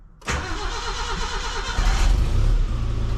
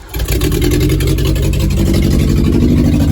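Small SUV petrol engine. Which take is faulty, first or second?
second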